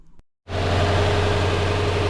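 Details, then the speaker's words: Lexus LS460 V8 after replacing the serpentine belt tensioner, idling steadily and evenly with no squeal, chirp or bearing rumble; the belt pulleys are now silent. "That is the sound of success. Pulleys are silent."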